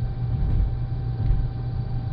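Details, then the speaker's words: 2008 Saturn Astra XR 5-door at highway speed: thin whistle/howl over road rumble, less prevalent at 40–50 mph, comes in at 55–60, changes tone around 70 and 80, worse in wind; taping roof rack holes didn't help, source unknown. "it's not as prevalent at 40 45 50 mil hour it's only until you get up to 55 60 is or higher sometimes it's a really high pitch Hollow sometimes it's a uh lower tone lower tone"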